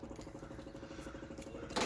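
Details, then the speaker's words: Dodge Journey no-crank no-start with windows also dead: fast, even ticking around fifteen clicks a second, like a relay chattering, then a loud rustle; owner suspects a dead battery before jump-starting. "what the hell going on don't start I'm assuming the battery did guys right here that is fine"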